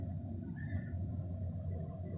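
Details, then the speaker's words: RV furnace after finding the gas valve had been shut off (a sticky sail switch was suspected earlier): the blower fan runs with a quiet, even low hum and no rattle or scrape, and warm air comes from the register. Normal furnace blower running. "that fan fans working fine there's a register oh nice warm air coming out"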